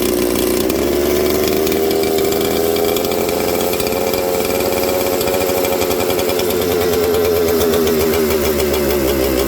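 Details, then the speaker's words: Junkpile 200-series two-stroke chainsaw idling: buzzy idle with a wandering pitch that slows when spray is applied near the crank seal behind the oil pump, pointing to a crankcase air leak at a leaking crank seal. "When I sprayed this into there, did you hear it slow down? Now, because the crank seal is behind the oil pump, it's really hard to suck it into there, right, on these. But I got enough in there that it sucked it through into the crank seal."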